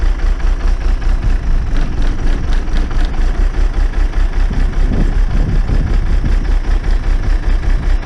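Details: Old diesel bus idling after starting, fuel pipe moved the week before: deep steady idle with an even low thump about two and a half beats a second, settling smoothly; normal idle.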